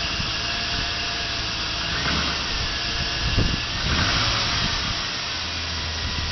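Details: 1999 GMC Sierra SLE V8 pickup, 175,400 miles, cold start at about 40°F after two days unused: hollow, rough knocking that swells with throttle in drive, piston slap, fading after under a minute of idle.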